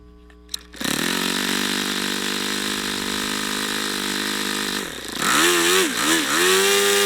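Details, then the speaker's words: YS FZ63 glow model engine, swap-meet find, first run, 22% nitro/18% oil fuel, OS F plug, APC 11x8 prop: high steady scream then pitch sags and wobbles as power drops; owner unsure if overheating or not broken in. Power sag. "he see I don't understand that I don't understand if that's a overheating thing I didn't hear it Knocking or what that is maybe it's not broken in"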